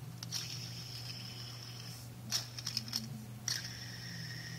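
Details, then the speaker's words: Old BMW E46 bearing spun by hand off the car gives a thin, high whirring ring with handling clicks and spins too freely, indicating wear; the new bearing spins silently by comparison. "see all that noise it's noisy spins like that very easily"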